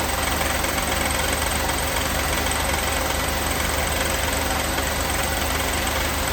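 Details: 1988 Mercedes 560 SEC (W126) at steady idle with a light, uneven tapping knock at roughly three per second; the knock grew louder later, cause not identified here, and it was fixed later.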